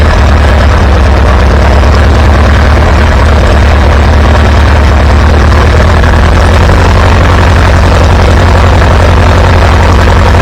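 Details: Antique Farmall B tractor after new ignition coil fitted: loud, steady low thrum at constant speed with no misses or stumbles; good oil pressure, running smooth.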